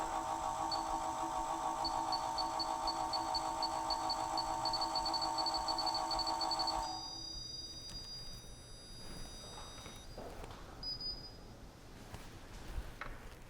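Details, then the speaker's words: Nova Voyager DVR 58000 drill press with the user-set depth stop on: the motor hums while a high beep repeats faster as the target depth nears, then the spindle turns off. This is normal operation. "so I can do this once again and you can hear a um beeping that indicates that we're getting closer and closer to the Target"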